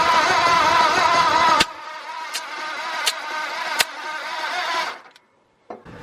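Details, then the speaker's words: New engine in a 1953 Ford project truck, first spin-over on a jump pack: starter spins, then drags to slow compression strokes under one per second before stalling; owner suspects a dying jump pack, possibly seizing. "Either it's starting to seize up or my battery's dying. Yeah, I want to say my jump pack's probably dying, which is good."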